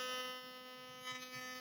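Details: Philips Sonicare toothbrush after replacing the faulty eccentric with an original part: steady, even high buzz with no rattle, scraping or wavering; runs normally after repair.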